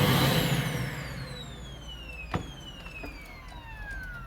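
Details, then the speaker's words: Vacuum cleaner whose power cord has broken inside near the plug: motor whine drops steadily in pitch over four seconds as it coasts down when power cuts out; fix is replacing the cord plug. "es el cable el que falla ya se ha terminado de romper vamos a cambiarlo"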